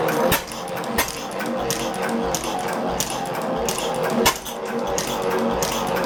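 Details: 1903 Gardner engine no. 3543 on first start after rebuild, with new crankshaft and cylinder, running on petrol: crisp, evenly spaced firing a bit fast, no knocking; needs only fine tuning.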